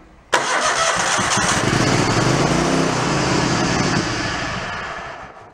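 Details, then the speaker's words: Mid-90s Toro Wheel Horse riding mower that died after a drive-belt change: with power back-fed to a wire for spark, it runs roughly for about five seconds then fades and dies; fuel shutoff solenoid suspected of not getting power. "She runs. She runs while I hold power to that wire."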